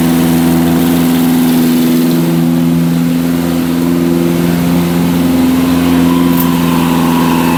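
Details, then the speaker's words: Barn-find Zastava 850, long stored, started after new coil and points adjustment: fast steady idle with an even drone that never settles down; owner thinks the throttle is stuck. "see s h sounds like the Proto stuck but she started"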